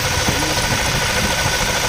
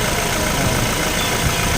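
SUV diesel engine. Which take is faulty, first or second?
first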